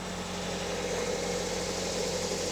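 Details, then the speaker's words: 1996 Toyota RAV4, engine running at idle: quiet, smooth, steady low hum, no ticking or exhaust puffing; healthy engine with no exhaust leaks. "so here we go the car is on I don't know if you guys can hear it but it is very quiet there's no exhaust leaks there's nothing this thing just this works it's typical of Toyota"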